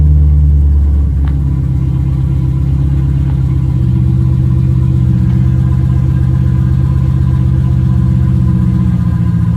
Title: First fire up after vacuum leak fixed.